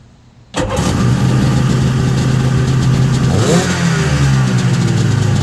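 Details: Sea-Doo jet ski that wouldn't start, after fuel system and carb rebuild with fresh fuel and filter: fires right up, settles to steady low burble then picks up revs cleanly; normal running.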